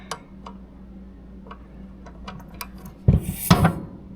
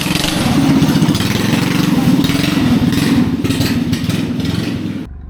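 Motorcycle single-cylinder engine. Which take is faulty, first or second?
first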